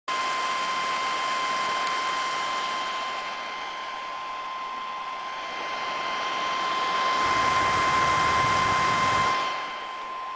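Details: Medion MIM2300 laptop with a loud, constant fan rush and a thin steady whine on top, like a small vacuum cleaner.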